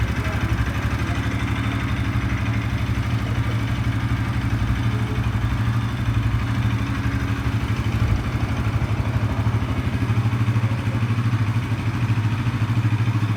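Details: Bajaj NS 200 single-cylinder, dead battery after sitting a month, started by jumping from a KTM RC battery; low, steady idle with even pulses and no misses, knocks or rattles; running healthy.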